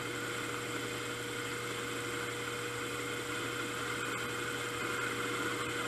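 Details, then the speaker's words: Steady, even mid-tone cutting hum with no chatter or squeal from a 3-inch R8-shank boring head with indexable bar, after repair, taking multiple passes deep in the bore; it cuts cleanly and normally. "that seem to be cutting well so I've made uh multiple passes down below"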